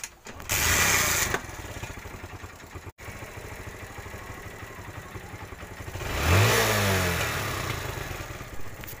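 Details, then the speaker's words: TVS Star City 110cc motorcycle: starts, idles unevenly, revs once, then a sharp pop-pop from the exhaust when the throttle is closed; misfire on deceleration. "Accelerator लेने के बाद जब मैं down करता हूं तो misfire करती है एग्जॉस्ट।"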